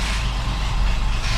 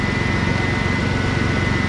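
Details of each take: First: Ford F-150 300 straight six after no-spark no-start, spark restored: low uneven stumbling rumble that barely runs; probably badly flooded from repeated cranking with no spark; rough running from flooding. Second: Teal Ford F-150 with 300 straight-six, after restoring spark from a failed ignition module and clearing flooding from cranking without spark: smooth, even idle pulse with faint steady tone, no stumble or misfire; normal idle.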